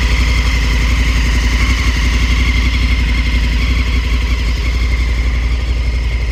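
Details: 2019 Africa Twin motorcycle engine noise issue: loud low idle with an uneven pulsing beat over the exhaust note, abnormal engine noise with the cause unclear.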